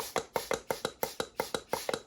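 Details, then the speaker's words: Minelab Equinox 800 metal detector, blowing into the battery compartment: about ten dull pops, four a second, as the thin speaker membrane flexes in and out; owner suspects the speaker is where water leaks in. "That is the speaker that's actually making that noise, popping in and out. So it's on a super thin membrane that's separating the pressure of the water from the inside of this unit."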